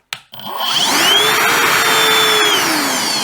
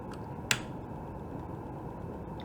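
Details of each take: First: Milwaukee Packout vacuum cleaner on battery, partially faulty fuse found, running on both speeds: motor whine climbs quickly, holds a steady high pitch, then winds smoothly down after switch-off; normal motor run. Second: Milwaukee Packout vacuum cleaner, completely dead: a single sharp click at switch-on, then only faint hiss; the motor never spins up, and the comparator output shows only short bursts of pulses.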